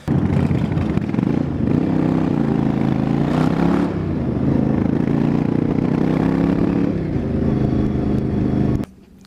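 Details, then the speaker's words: Yamaha Virago XV1100 V-twin running lumpy, intermittently coughing and spluttering on one cylinder; long-term issue despite good stator, 13.6 V at idle, fixed by replacing the regulator rectifier. "a while it starts to coffin and splutter through one of the cylinders"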